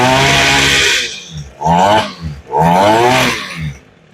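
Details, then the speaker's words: Echo SRM 225 trimmer, primed and choked: runs strong at high revs, then sputters and stalls as throttle drops to idle; dirty carburetor. "Okay, it definitely dies. As soon as I let it off and let it go to idle, it stalls."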